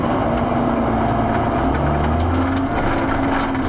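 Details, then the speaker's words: 7410 diesel tractor on the move after an in-frame engine rebuild: an even, steady drone while pulling, with no knocks or misses, burning clean; the engine sounds healthy and smooth. "She sounds good. She sounds good. We'll take her down the infamous hill, and that'll be the end of that."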